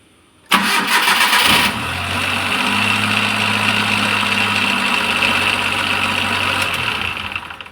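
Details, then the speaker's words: Maruti Suzuki Omni MPI that would not start and had stalled while driving, after timing correction: brief crank with slight strain from weak battery and non-working alternator, then clean catch and steady idle. "Of ചെയ്തു ഇപ്പൊ correct ആയിട്ട് തന്നെ വണ്ടി start ആവുന്നുണ്ട് അപ്പൊ timing correct ആയതുകൊണ്ടാണ് അങ്ങനെ എടുക്കുന്നത്"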